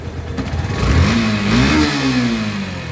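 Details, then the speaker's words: Yamaha FZS version 3 single-cylinder after tappet clearance and decompression were set, clearing its chain noise: a smooth rev rising and falling evenly with no chain rattle or tappet ticking; a normal, clean engine. "FZS বাইকের মানে টেপিট clearance ঠিক রাখার পর এত নিখুঁত sound আসে খুব কম।"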